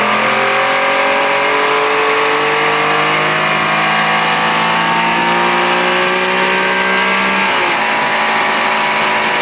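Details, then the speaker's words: 1992 Johnson 60 hp outboard, first water run, idle was cool and smooth: revs rise as throttle opens, then drop back, with a strange light tinny noise each time the throttle is hit; cause unclear. "what's that noise sounds like i hear something something strange every time i hit the throttle"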